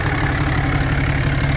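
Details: 2016 Cummins 6.7 diesel, 75k miles, idling: quick regular light tick or knock over the low rumble, coming from under the engine; cause suspected, not confirmed.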